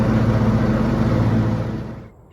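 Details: Zero-turn mower that only clicked at the starter, after the solenoid was replaced: a firm, even engine drone with a steady low beat that fades near the end; the engine now starts and runs normally.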